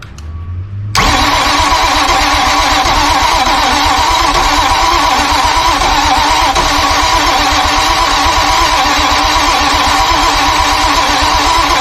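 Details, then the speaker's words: Grady White 282 boat, hurricane-damaged, engine long unstarted: steady fast cranking about four beats a second, no firing; no fuel pressure, high-pressure fuel pump tested, spray in throttle bodies gave a bang. "no it won't run I think we are gonna have to take the pump apart um there's like no fuel pressure at all"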